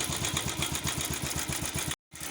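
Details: Bajaj Pulsar motorcycle engine idling with a fast metallic clatter over the beat: timing chain noise caused by an oil pump problem.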